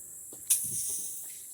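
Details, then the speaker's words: Stihl Dirt Boss 2700 psi pressure washer with water supply on and the engine not yet started; quiet sharp hiss with a sudden spit as trapped air purges from the water line. "now see you can hear the air all right so we're gonna let that run and this will help kind of purge the system of air"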